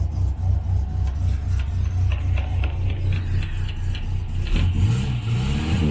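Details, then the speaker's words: 1968 Morris Minor 1000 four-cylinder, first 2023 startup, after cleaning the blocks: low, slightly uneven idle with occasional stumble; much better than before but still not perfect, slight rough running. "I'm just gonna turn on the ignition again it's a whole lot better [Music] still not perfect you can hear it [Music]"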